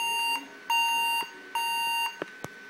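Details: Averatec 3200 series laptop, power lights on but screen stays black: three long steady high-pitched beeps of about half a second with a short click after; does not boot, cause unknown.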